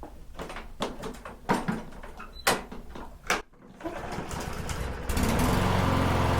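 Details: Troy-Bilt TB110 push mower, Briggs & Stratton 550EX, wouldn't run after months of sitting. After the fuel system was cleaned, several pull-starts, then it catches into a steady but slow, lazy putter. Idle rpm is too low and needs adjusting.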